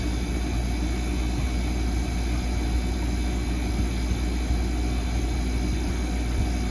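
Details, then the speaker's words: Ice-O-Matic ice machine after replacing faulty fan cycle switch, switch clicks in at 250 psi: steady low hum with even condenser fan whoosh over compressor drone, no rattles or scraping; fan running normally. "click and fan is spinning can't really see it but it is definitely spinning so that is a successful change out"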